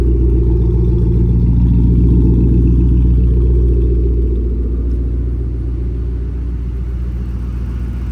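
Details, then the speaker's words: Mustang cold start after a repair for an engine ticking noise: deep, even, steady idle with no ticking over the rumble; the engine runs smoothly, and the ticking appears fixed. "Oh, that was a very quiet cold start. I don't want to speak too soon, but it's very quiet up here."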